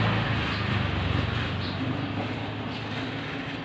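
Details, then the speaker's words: Automatic washing machine after motor replacement for a loud noise (old motor's bearings suspected; wash shaft found fine): the wash run now gives an even low drum rumble and steady hum with no knocking, grinding or squeal. "เสียงดังยังก็เหาะไม่มีแล้วนะครับแกนซักยังดีเปลี่ยนเป็นที่มอเตอร์ครับ"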